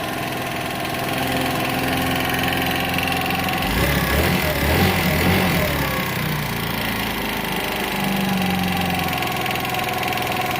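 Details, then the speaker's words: GY6 scooter engine, 1,179 miles, after valve job, new carburetor and idle raised: light uneven tapping about two ticks a second over steady idle; cam chain and rockers checked with no play found, cause unknown. "It does just fine. It's crazy. I've just never heard a GY6 that had a lot of tapping. That's new to me."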